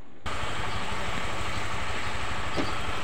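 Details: Honda Vario 125 eSP scooter after repairing a leaking radiator T-joint that drained coolant and caused overheating and rough sound: quick regular putter settling into smooth, even idle, run 10–15 minutes with no drips or temperature warning.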